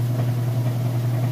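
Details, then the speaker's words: Whirlpool Estate top-load washer on final spin at full speed: steady, even hum with no thumping or banging; drum balanced and healthy. "okay and here we go final spin cycle it's spinning full blast full speed here you can see it sounds great"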